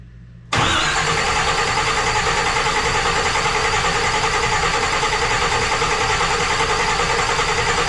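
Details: Engine's test crank with no gas in tank, fluids filled, building oil pressure: starter turns engine over at steady three-to-four-per-second beat, no knocks or binding; normal cranking.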